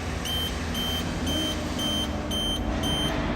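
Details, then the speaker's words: HR28 28-meter machine after distorted rubber clutch coupling replaced on site: steady smooth motor and pump hum with warning beep twice a second, no noises. "motor is running just fine sounds good nice and smooth yeah looks good"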